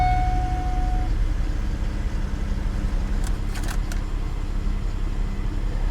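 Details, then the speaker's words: Salvage-auction minivan with a failed power sliding door, started without a jump on a cold day (about 46°F). Even low idle hum with no stumble or knock, key jingle over it; no dash warning lights, running smooth. "I don't see any warning lights on the dash at all it's running smooth"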